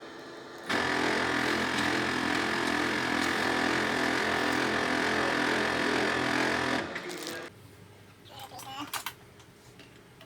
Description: Grinding noise in Ricoh Aficio SP 8200dn during printing